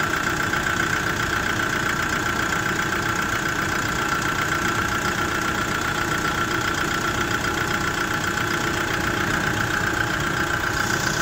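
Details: Kia Bongo III J3 Euro 4 diesel at idle: a hard, slightly uneven clatter of about two to three beats a second, with vibration and black smoke, from bad fuel injectors.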